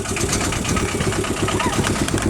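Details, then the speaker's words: Aixam 400 microcar at idle, heard inside the cabin: loud, harsh idle with a steady fast throb and rattly buzz, vibrating everywhere; cause unclear. "voilà une pétrolette et le bruit est juste en fait super violent donc ça vibre un peu de partout"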